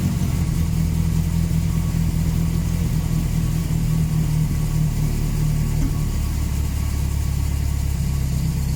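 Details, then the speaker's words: 1979 Volvo 240 just after fitting another car's exhaust; running a little weird, rough uneven low chuffing at idle from a massive exhaust manifold leak, later sealed and gasket retightened. "not too bad uh it's running a little bit weird though uh there's definitely a massive exhaust leak at the manifold so maybe i'll go and try and seal that up"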